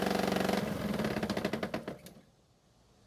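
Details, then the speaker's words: Honda mower single-cylinder engine after air gap, clearance and compression checks: steady knock about three per second, then shuts down; noise persists, owner suspects blades and clutch involved, cause not confirmed. "unfortunately it sounds as though the noise is still there and now I have to wonder if somehow the blades and the clutch are involved"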